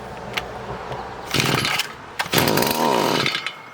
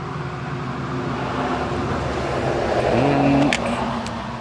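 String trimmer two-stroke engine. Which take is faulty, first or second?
first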